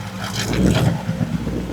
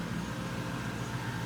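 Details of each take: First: 1967 Pontiac Firebird hot rod with built Chevy 400 small block, Turbo 350 transmission and dual straight pipes: short harsh scrape while cranking, then the V8 fires and revs loud; starter slightly off the flywheel, not meshing cleanly, deemed no big deal. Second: 1967 Pontiac Firebird with built Chevy 400 small-block, Doug's headers and dual straight-pipe exhaust, just started: deep, loud, steady rumble with even firing, no misses or knocks; running healthy.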